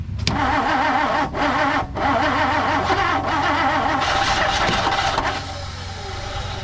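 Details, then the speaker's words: 1959 Plymouth Savoy on a battery booster, with choke: starter whirring with a wavering beat and occasional firing bursts, but the engine never picks up and runs; owner unsure, maybe carburetor position or a failing starter. "All right, that was with the choke, so it's firing now. So let's just keep trying it, I guess."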